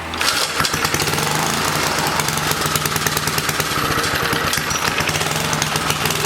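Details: 1980 rototiller, small engine racing well above normal speed after starter clutch tension adjustment; wrong governor spring fitted, letting it overspeed; shroud to come off to fix it.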